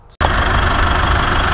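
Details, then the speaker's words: Mitsubishi Triton at about 70,000 with a squealing drive belt, after sanding a rusty idler and a light silicone spray: steady, even idle, no squeal or chirp; normal idle, a temporary fix. "so that's good that's how it should be awesome"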